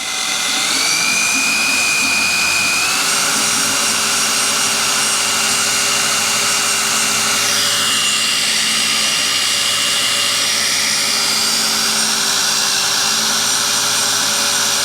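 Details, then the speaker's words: 1984 Ford 351 Windsor V8 from an F-150, stored about 23 years, having its oil pump spun with a drill to lubricate the engine before first start. A steady, high drill whine that shifts pitch as it loads up. "We're going to grab a hold of this with a drill and we're going to lubricate the engine."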